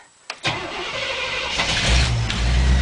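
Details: Chevrolet K5 with 350 gas engine, cold night at +1 to +2°C, first crank after 6 months of repairs: brief crank, then it catches quickly and settles into a steady, even idle; a clean cold start.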